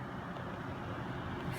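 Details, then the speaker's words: Noctua NH-D15 CPU cooler with its fans in push configuration: soft, even airflow turbulence hiss with none of the buzzing heard in pull configuration; the fans run quietly and normally. "you can just hear that all you're really hearing is just the um the turbulence"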